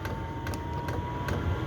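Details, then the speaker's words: Chinese 5kW diesel heater on kerosene, 12V from 240V transformer, 8° reading, pump at 5.3 Hz near maximum: sharp regular ticks about every 0.4 seconds over steady fan hum; normal fuel pump ticking at high rate. "that's the pump what that's the Hur of the pump at the moment that's kind of getting it 5.3 which is like more or less as fast as it'll go"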